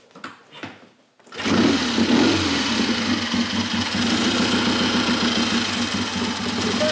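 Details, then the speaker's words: Triumph Tiger T100 after top-end rebuild, first start, no choke, 12-volt ignition upgrade, 2-into-1 exhaust: catches quickly and settles into a steady, even idle with soft regular beat, no misses; sweet running, low compression, easy starting. "very sweet, quite low compression, easy to start, but performance wise, yeah, very good. Sounds like a big bike."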